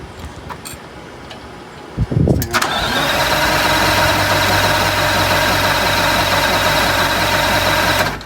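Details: 1985 Bluebird Wanderlodge PT40 diesel after refilling the near-empty primary fuel filter and priming: brief crank, then it catches and settles into a steady, even idle with a firm low drone; starts and runs fine.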